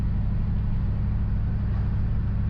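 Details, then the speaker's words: 1979 Chevrolet Camaro V8 on a long road trip, leaking and burning oil: low, lumpy exhaust rumble while cruising with an uneven beat; feels and sounds like a cylinder is down, misfire cause not confirmed. "Feels like we're down a cylinder. Sounds like we're down a cylinder."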